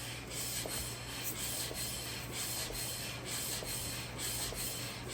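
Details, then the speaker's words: 1970 Plymouth Sport Fury GT 440 six-barrel short block during rebuild, crank turned by hand: rough scraping comes and goes about once a second, pausing at piston dwell at top and bottom; freshly honed cylinder and new rings bedding in normally. "You can hear it grinding and then stopping and then grinding and then stopping. The points where you can hear it stop, that is the dwell of the piston. It slows down and then stops completely at the top and at the bottom."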